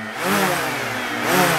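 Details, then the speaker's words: DJI Mavic Air fitted with Master Airscrew propellers, rev test on table: two quick rev-ups, smooth buzz rising and falling, lower pitch than stock sounding softer; no rattle, healthy. "the difference in pitch makes a sound softer [Music] okay a lower pitch it's a lower pitch"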